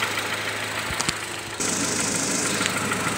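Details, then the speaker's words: 2012 Nissan Versa idling with headlights, blower motor and AC on: about 41 A charging under load, steady even idle with no sag as the blower rush comes on; charging system okay, no-start likely a defective battery. "with the system loaded you can see that we're about 41 amps which is good for me it's actually pushing on what it's posted so I'm not putting my headlights on and my blower motor you guys hear it and the AC is actually running also so that tells me that my charging system is okay"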